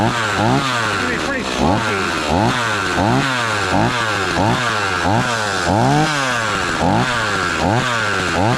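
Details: Stihl 026 chainsaw just after rebuild, first start and break-in: quick rev blips roughly once a second, each climbing cleanly and dropping back without stumbling; saw running well.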